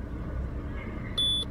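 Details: Peugeot 307 SW with NFU engine, low oil pressure simulated by grounding the single-wire oil pressure sensor connector, engine started and idling: a single short, high chime, then the STOP light comes on and the computer reports pressure too low. Warning works correctly.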